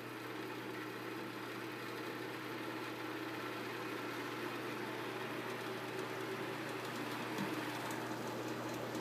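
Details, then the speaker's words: Knapp Monarch Duo-Aire hassock fan, probably early or mid-1960s, oiled, high and medium switch positions reversed: steady low motor hum with a rough uneven rattle until it reaches speed; owner suspects worn thrust washers allowing axial shaft play. "the other weird thing is that the uh switch is reversed uh high is actually medium and medium as high it's a little noisy at first until it gets up to speed"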